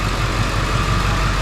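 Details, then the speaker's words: 2007 Ford F450 with swapped-in 7.3 Powerstroke diesel at idle after replacing the under valve cover harness for a cylinder 5 miss; shake gone, much better. Deep, even low rumble with no stumble or shake. Normal idle. "Oh, that's a lot better. So, it did come back on, but the shake is gone."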